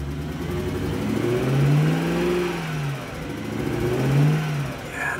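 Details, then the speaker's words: BMW E92 M3, 48,000 miles, sat about 3 years, suspected bad engine, running on jumper packs: revs up and down unevenly with a ragged, stuttering note; a miss, ticking, timing sounds off when cranking, light exhaust smoke, cause unclear. "No. It's got a miss or something going on there."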